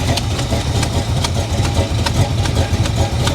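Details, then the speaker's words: V8 at salvage auction, carburetor leaking fuel from throttle blade seal: lumpy idle with uneven tick twice a second, source unclear, possibly vacuum leak. "yeah not quite sure what that noise is that sounds like a vacuum leak or something"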